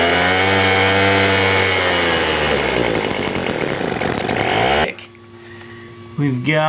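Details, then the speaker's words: $10 Craftsman two-stroke leaf blower (the seller says wrong fuel was used, air filter missing), cold start with choke on and bulb primed, fires and runs high, then sags and dies within seconds; lean low-speed mixture, low screw needs opening about a quarter turn. "love we need to adjust the low because it is he's dying the right one"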